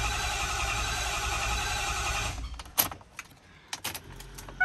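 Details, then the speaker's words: 2010 Ford F350 6.4 Power Stroke diesel after a head and ARP head stud rebuild, a repeat start attempt after priming: the starter churns steadily for a couple of seconds, then cuts off with only clicks; no start, which the owner suspects is air from the removed lines. "all right let's see if we'll start no start it's still probably air in the system"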